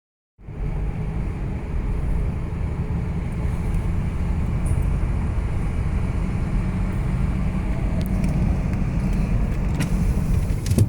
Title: Driving w/ Bad Front Wheel Bearings - Humming Sound